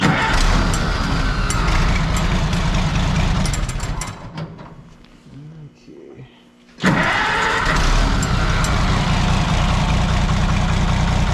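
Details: Oliver 77 tractor, hard cold start in snow after filing points: engine labours unevenly, dies to near silence, then catches roughly, won't hold steady; owner suspects fuel starvation, possibly fuel frozen, unconfirmed.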